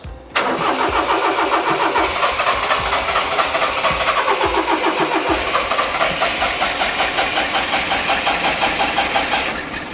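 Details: 1992 Honda Acty micro bus with carburetor, after fitting a rebuilt distributor, new coil and ignition module and priming: engine catches after brief crank and idles uneven and lumpy; suspected timing and fuel bowl adjustment.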